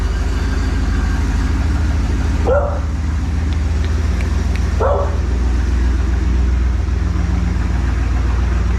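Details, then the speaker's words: 1986 Pontiac Trans Am that sat over 17 years, after carb, fuel tank, intake gasket and fuel pump work, warming up from a cold start while dwell is being set: steady, even low rumble, no misses or knocks, dog barking twice; normal smooth idle. "Just to bring it back on, you can hear how smooth it's running right now."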